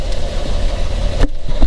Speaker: Probably hear the rod knock a lot better from in here.